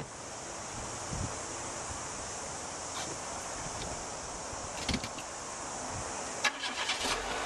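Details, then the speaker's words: 2004 Renault Megane automatic (tiptronic) with the 1.6 litre 16-valve engine, cam belt replaced at 124,000 km. It cranks, catches quickly and settles into a steady, even idle with no knocks or misses; it sounds like it should. "there you go sounds like it should"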